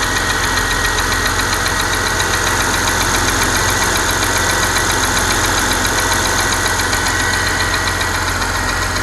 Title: Porsche Panamera 4S, engine ticking sound?